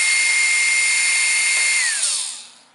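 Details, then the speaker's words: 775-type DC motor for a kayak drive, with a shaft seal adding 2–3 amps of drag. A steady high whir, then at switch-off the pitch drops and stops within about a second as the magnets brake the armature. Normal. "stops pretty quick because of the magnets in there are retracting on the armature."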